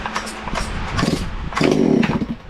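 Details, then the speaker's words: Ported Farmertec MS660 chainsaw after adding another exhaust port to the muffler cover, timing checked and tune set with a tach: sharp, raspy two-stroke revving in quick bursts, clearly louder, crisp at the top, strong clean running. "wow it's got a lot louder hopefully we've done something over 15."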